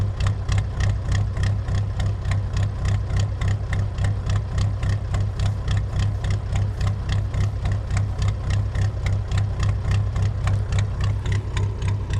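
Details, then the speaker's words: Ford F350 with an air-cooled Deutz diesel, cold-running engine just started and smoking until warmed up: even, loud clatter at about three and a half beats a second with deep low hum; normal air-cooled diesel idle. "But you can hear it's got a very unique sound."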